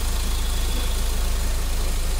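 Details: Mahindra XUV500 diesel after engine overhaul (it had overheated from a coolant leak and developed a tapping noise): deep, steady idle with an even beat, no knocks or rattles; smooth and healthy.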